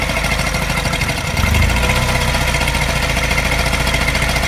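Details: Mini N12 engine, not cold but not fully warm, fast idle after new cat and O2 sensors: steady idle with a light regular tap and faint uneven pulse in the beat, ticking with a mild miss; cause not found.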